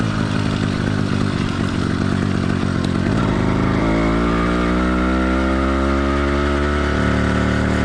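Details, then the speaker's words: Cheap single-speed motorized-bike two-stroke kit engine with a single-circuit carburetor, cold during its warm-up phase; lumpy, uneven burble that skips and blubbers while four-stroking, which is common and expected for the first five to ten minutes. "the motor's warm-up phase four stroking is not only common it's expected so don't worry too much about how it runs for the first five to ten minutes"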